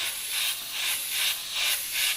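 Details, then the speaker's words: Iwata Takumi Eclipse airbrush spraying opaque paint at lowered pressure: a hissy spray surging and fading about every half second with a gritty, gravelly edge; the paint is too thick and grainy, and the fix is to thin it or raise the pressure. "That's when you know it's grainy. You get that gravelly type noise. So just sort your paint consistency out."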